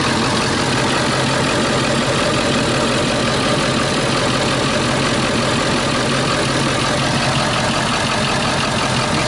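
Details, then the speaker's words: Harsh, uneven diesel clatter at idle from a 2001 Ford E350 PowerStroke van that was overheated, run on straight water and left to freeze, possibly with a cracked block; something is wrong inside. "You hear that right there? You hear a diesel idling like that, there's definitely something wrong."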